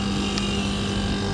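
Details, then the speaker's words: Non-inverter split AC outdoor unit with burnt terminal, after replacing the weak capacitor: steady even hum with low electrical drone and fan whoosh, no knocking or rattling; compressor and fan both running and drawing correct amps, so normal running. "এটা চালু হয়ে গেছে। Compressor fan দুটোই চলছে, তোমরা বুঝতে পারছো।"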